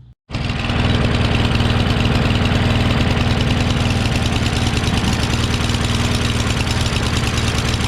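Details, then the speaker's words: Craftsman mower with a Briggs 550EX engine, after a head swap and a homemade choke flap: a fast single-cylinder drone with an uneven, lumpy beat, holding decent rpm until it runs out of fuel. Runs rough; the owner suspects the carburetor. "I don't know how I managed to use up all that gas because it wasn't really running. Running badly, but it's still running at pretty decent RPM."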